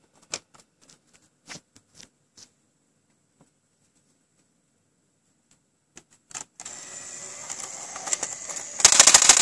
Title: PS3 drive makes a really loud rattling noise